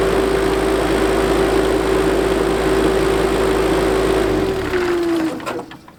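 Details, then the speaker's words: JCB Midi CX backhoe diesel after a fuel filter change and tank flush: a loud steady pump howl over the idle that sags in pitch and fades as the engine winds down; owner suspects a brake or hydrostatic transmission issue, cause unknown. "What you're going to hear is when I start it up, you're going to hear that howling noise of the pump, and watch what happens when I step on the brake."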